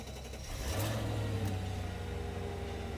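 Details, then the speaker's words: 2003 Mercedes SL500 with 45,969 miles at auction; engine catches, blips briefly, then drops to a quiet, even idle with no knocks or ticks, sounding healthy. "she sounds perfect perfect"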